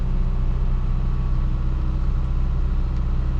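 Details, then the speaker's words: Truck with freshly rebuilt transmission, warm engine still on the choke's slight high-idle step (no tachometer): steady, even low rumble with no misses or knocks, idle a touch high; normal fast idle. "knowing this truck I know this is still a slight high idle mode it's not fully unchoke t' or whatever you would call it"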